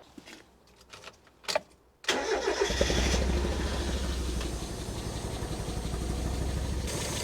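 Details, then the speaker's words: Fire-damaged Mk1 Mazda MX-5 with a new wiring loom, plugs and coil pack: cranks, then a lumpy, loping idle still running on only two cylinders, with 1 and 4 dead. "nope still running on only two and it's still cylinder 1 and four"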